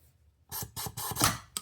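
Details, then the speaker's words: MAC AH650 air hammer after restoring O-rings, trigger and air inlet valve, at 40 psi: short rapid rattling bursts with clean stops between trigger pulls, no leaks; cycling normally even on low pressure. "Okay, it is working. Just 40 psi. Okay, the air valve is working. Okay, at 40 psi it's already snapping."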